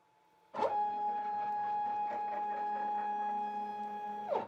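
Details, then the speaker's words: New Shapeoko 5 Pro CNC ball screw machine jogging in rapid traverse: steady, even whirr with a clean midrange tone for about four seconds, starting and stopping crisply; slightly louder than expected but a normal, healthy ball screw move. "And in honesty, it's not that loud. It's just a little bit louder than I expected."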